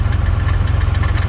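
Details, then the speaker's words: Toyota 4Runner (3rd gen) at idle, still down a cylinder, smooth-ish up top but intermittent heavy knocking heard from underneath; owner suspects a broken flex plate, matching the sound of a broken flex plate on his first gen. "Sounds good up top. Seems to be running smooth-ish. But, underneath it's kind of intermittent. But, my guess is it's got a broken flex plate."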